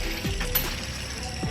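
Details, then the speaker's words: FR-S removed idler pulley spun by hand: dry gritty ratcheting rattle from a worn-out bearing, possibly the cause of squealing; new pulley was silent and tighter. "so apparently this one is shot that's what the guy is subaru said which i never knew until i took it off"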